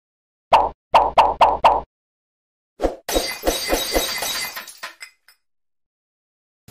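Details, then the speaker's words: 2003 Chevrolet Cavalier 2.2L Ecotec supercharged, 5-speed: four sharp single clicks, then a quicker run of clicks, with no starter cranking; voltage drop testing points to a bad starter power connection. "okay guys so we got an interesting one here so my cavalier with the supercharger i don't know if you guys can hear that when you try to start it it just clicks okay we get no starter we get no starter cranking"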